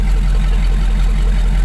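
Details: Hummer H2 V8 petrol engine idles with a steady, even low rumble and no stumbles or skipped beats after a random misfire and sudden shutdown were fixed; ignition coils, spark plugs, plug wires and injectors were worked on.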